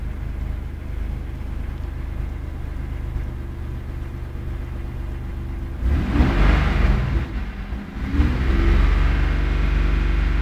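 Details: 1994 Isuzu Trooper: low uneven rumble with stumbling beat about four times a second, roughening as revs rise; misfire.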